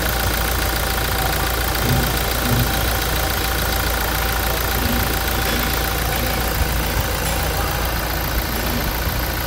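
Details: 2016 Toyota Hilux 2.8 GD diesel, 350,000 km, idling with the hood removed after a timing chain replacement (new radiator also fitted); a steady, unbroken rhythm with no ticking or knocking, smoother than before: normal idle.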